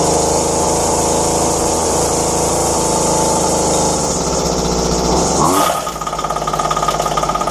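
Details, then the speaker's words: Dumped McCulloch strimmer found by the roadside: after replacing only fuel lines, cooled and lightly choked, the small two-stroke screams at high revs then drops to a steady, even burbling idle; runs healthy, normal idle. "so there you have it all it was was a few lines I haven't even had to churn it up on nothing on it and it run"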